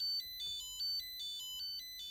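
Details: Nickel strip spot welder beeps nonstop, a high stepped tone repeating about every half second, with no fault shown on the OLED; suspected low-battery alarm because the battery is about 2.7 V rather than 3.3 V, not confirmed.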